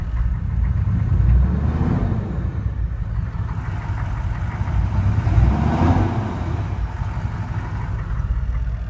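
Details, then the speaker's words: 1994 GMC K2500HD Suburban 6.5 turbo diesel, high mileage, new heads with Heath stud kit, brand-new turbo: deep steady diesel rumble swelling with two gentle revs, soft turbo whir rising; runs really good and strong, normal. "Runs really good, pretty strong."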